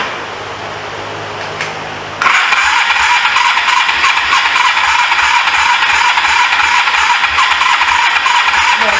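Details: 1983 Suzuki GS450A automatic, not run in years, cranking on a jumped car battery with a harsh, rattly, even chug. Carburetors are suspected to need cleaning; it runs only on choke and the fuel line leaks. Abnormal noise while cranking.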